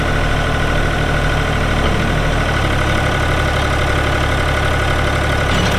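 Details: 1999 New Holland TN65S 4WD diesel tractor, cab with AC, 8-speed hydraulic shuttle, NH 33LA loader, 4,162 hours: steady, even diesel idle with smooth low thrum, no knocks or misses; AC cold, hydraulics strong, engine sounds good — normal diesel idle.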